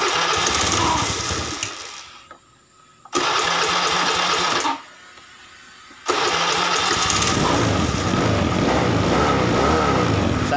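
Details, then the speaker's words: Fuel-injected motorcycle, hot engine, MIL blinking code 21 (O2 sensor), excessive fuel use: fires and runs briefly, dies twice, then catches with a lumpy idle; hard starting, injector pulse too high, running rich. "nah kemudian turun dan motornya mati ya sulit hidup kita starter lagi nah ini sulit hidup"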